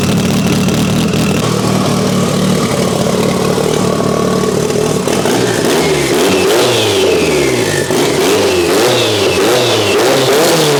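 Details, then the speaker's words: Mitsubishi Evo 8 being restored, warm engine: loud, deep exhaust at a steady idle, then clean rising and falling revs with no misfire or knock. No leaks are seen, and the earlier coolant leak is resolved. Normal revving. "yeah that sounds loud but it sounds cool I like it"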